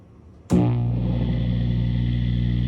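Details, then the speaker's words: 1967 Fender Deluxe Reverb tube guitar amp, untouched inside, 56 years old (doesn't blow fuses): a loud, steady low-frequency 60-cycle mains hum buzzes as soon as it is switched on, before repair. "Well, that sounds like a 60 cycle hum because it's low frequency and it buzzes really well and really loud."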